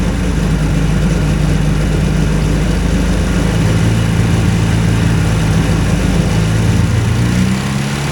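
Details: Two-cylinder hovercraft engine, newly settled with revised exhaust and carburetion; steady, even low drone, both cylinders firing, no misses, healthy.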